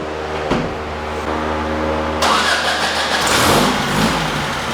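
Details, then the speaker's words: VW engine with bigger valves and cam on dyno, 55 idle jet: catches, settles to even idle, climbs cleanly through revs; running better, 78 hp and 110 lb-ft, lean at top end. "Running a little better."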